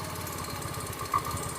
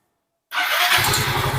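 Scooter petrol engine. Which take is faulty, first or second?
first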